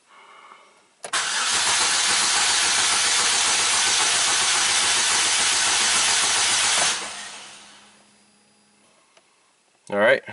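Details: 2009 Chevy Cobalt after refurbished cylinder head install for P0300 misfire, cranking with coils and injectors disconnected to build oil pressure and check the timing chain tensioner: about six seconds of strong, even cranking without catches or knocks; normal.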